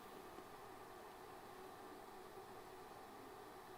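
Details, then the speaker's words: Kywoo Tycoon Max 3D printer printing: only the soft power-supply fan whir, nothing audible from X/Y, extruder or Z steppers while moving; quiet motors. "i'm not hearing anything from the steppers i'm not hearing anything from the e stepper i'm not hearing anything from the z's when they move"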